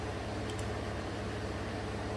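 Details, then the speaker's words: 2016 Chevy Colorado 3.6L V6 idling smooth and steady after spark plug replacement and walnut-blast intake valve cleaning for P0300/P0303 misfires on cylinder 3; normal, healthy idle. "i'm sure it's going to be okay running nice and smooth now"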